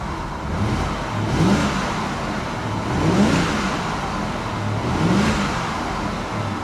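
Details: BMW with iDrive at a salvage auction: three clean throttle blips, revs climbing and falling back evenly with no misses or knocks. The engine sounds healthy.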